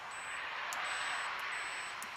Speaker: and as you can hear that is buzzing so we know we don't need that wire anymore